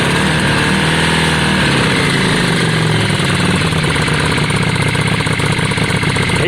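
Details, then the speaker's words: Yamaha Virago V-twin warming up at idle after a new spark plug: even, steady thump with no misfire or stumble; sounds better, normal idle. "up all right we'll give it a few minutes guys and we'll let you know it sounds better to me"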